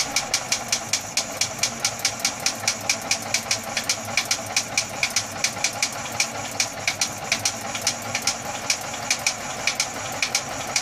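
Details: Atomic 4 engine idling with sharp pops about two to three per second over a steady idle, fairly regular; cause not yet pinned down: popping noise.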